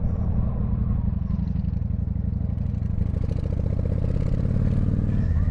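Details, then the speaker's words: 1995 Honda VT1100 Shadow ACE V-twin on first proper ride after sitting several years, hot; deep steady rumble, even firing, very loud exhaust with apparently welded-in baffle, no knocks; normal running. "It's big. It's heavy. And um it feels a bit insecure, but the engine sounds good."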